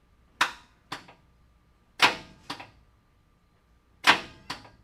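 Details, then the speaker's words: 1985 Chevy K30 CUCV truck sitting 6+ years, after swapping a dead battery; single sharp clunks in pairs, no cranking, starter engages but engine won't turn; owner suspects seized engine, not confirmed. "Stop dead. Uh, starter. I'm afraid the engine's seized up."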